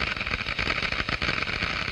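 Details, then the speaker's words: Water flowing through a glass venturi; flow rate increased until water boils at the low-pressure throat; steady dense crackling hiss with no rhythm as vapour bubbles collapse entering the higher-pressure diffuser: cavitation. "the noise is generated by the collapse of these bubbles as they move into the higher pressure in the diffuser"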